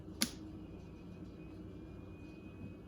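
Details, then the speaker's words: Jump pack with built-in tire inflator set to 38 in tire mode, battery run down from 12 V to 11 V: only a faint thin fan whine, no compressor pumping at all. Owner suspects low charge; compressor failure not ruled out. "you can kind of hear the fan whine a little bit but it's not doing anything"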